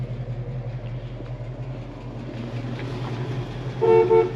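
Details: 1966 Ford Mustang with a 289 V8: the engine murmurs in the background, then a clear, steady horn toot near the end. The horn sounds strong and normal.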